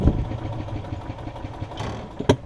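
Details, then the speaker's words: Yamaha golf cart engine cranking on battery with the choke: slow even cranking with one sharp pop, a single firing, so only a little fuel reaches the cylinder; fuel starvation, main jet issue suspected. "i wonder if it'll run on choke because this does have a dedicated choke here it does fire that one time if y'all can hear it you hear it so it means i am getting"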